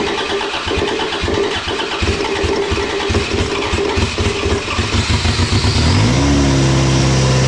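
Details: Race car engine during final race prep gives uneven, stumbling cranking and sputter for about five seconds, then catches and settles into a steady idle. The crew suspected it was still running lean; a hard start that finally ran.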